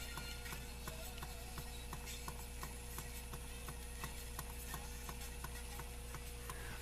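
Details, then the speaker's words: Rock-Ola 445 jukebox playing record A6: only a faint needle-on-record sound with a steady tick around 86 per minute and nothing from the speakers. The amplifier is not working; only faint stylus playback. "all right it's PL it's just not Amplified we're getting nothing out of the speakers"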